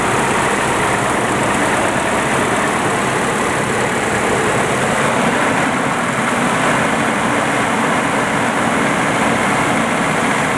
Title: 200sx Engine Knock Possible VVT Cams Spray Bar, etc